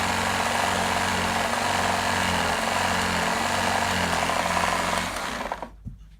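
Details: G-Tech AirRam K9 vacuum after battery trouble: harsh buzzing motor with coarse, uneven rattle about three beats a second from inside the body, then winds down; faulty switch and bad motor suspected.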